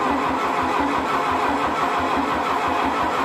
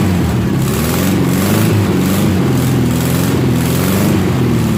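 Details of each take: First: 1972 VW Beetle 1200 engine, original, sitting for decades, run on a stand: starter cranks evenly without catching; carburetor not drawing fuel, likely varnished or clogged, fuel starvation. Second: 1972 VW 1200 Beetle flat-four, 48 years old and laid up for decades, run sitting on a tire with a starter switch after priming via accelerator pump; fires up and holds a strong, steady run for several seconds before switching off, no misfire.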